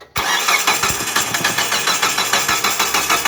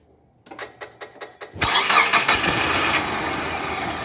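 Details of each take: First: Distributorless engine car that died and had been towed in, cranking evenly about three beats a second with no firing; no-start traced to a damaged TDC (cam position) sensor socket so the ECU cannot find cylinder 1 timing. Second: Distributorless petrol car engine that would not start all day; after reseating a cracked, loose TDC (cam position) sensor socket it cranks a few turns, catches at once and settles into a steady, even idle with no misses: normal start.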